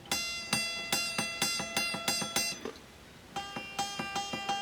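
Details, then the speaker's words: Strat-style Hondo II electric guitar with damaged frets and low action: repeated plucked notes with a sharp click on each attack as the string slaps a gouged, divoted fret; to be set up as slide-only guitar with a new nut raising action. "so you can hear the string clicking against it that's why this is a good candidate to be an exclusive slide playing guitar"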